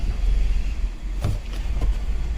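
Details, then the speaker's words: 2019 Kia Sorento with no scan codes except MAP circuit low, runs rough, surges, stalls and exhaust stinks; adaptive reset made no change; low, uneven idle with sharp clicks from faulty MAP sensor wiring. "start it up look at the RPM and the car will just like some here L sometimes it stalls sometimes it um surges"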